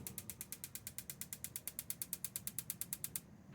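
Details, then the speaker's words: Marey tankless gas water heater, gas on, good spark and battery, part replaced four times: rapid even ticking about seven a second for three seconds, no flame whoosh; owner suspects the gas valve isn't getting the open signal. "Won't ignite. I'm gonna try it again. Good spark, good battery, no ignition."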